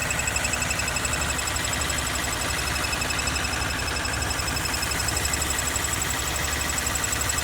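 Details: 2013 Honda CBR250R ABS, 6 months old, 2500 km, oil recently changed (Honda synthetic): quick light metallic rattle over steady single-cylinder idle, about four beats a second, from engine/gearbox even at idle; service center can't identify source.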